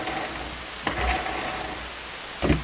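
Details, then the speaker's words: Hammarlund SP-600 communications receiver, tuned in the double-conversion range: flat rushing hiss with a few crackles and no stations because no antenna was connected; reconnecting it brought stations back. "Okay, so we're up in a double conversion area now. It just sounds like there's no antenna."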